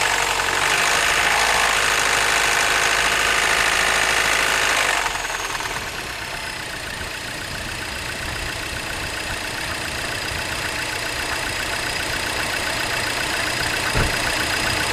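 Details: 2007 Mini Cooper, 11,000 miles, idling: a steady, regular knock of about three beats a second over the engine running sound; cause suspected, not confirmed.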